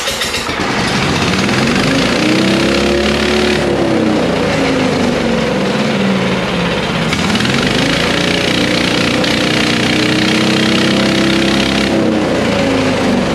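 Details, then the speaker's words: Exmark Navigator mower engine just started after fuel had been shut off: loud, speed swelling and sagging every few seconds instead of holding steady; carburetor float suspected stuck, fuel delivery suspect. "it just needs to flow right the float's stuck"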